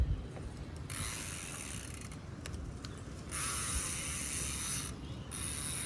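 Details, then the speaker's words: Bicycle hydraulic disc brake after pad fix: freewheel ticking with soft hissy rubs when braking, no squeal. The earlier squeaking brake noise is gone. "And तो try करते देखते इसका sound गया कि नहीं and तो sound तो गया"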